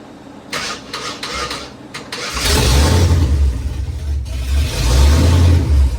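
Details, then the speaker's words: 1994 Ford F150 single cab 2WD V8 through open headers, first start after work, grounds possibly loose: starter cranks, engine catches loud, idle hunts up and down as a vacuum surge (not a lumpy cam) then levels out; cold start idle surge. "You can kind of hear it doesn't have a low beat cam, so that's just like a vacuum surge right there. That isn't me. Oh yeah, there you go, leveled out a little."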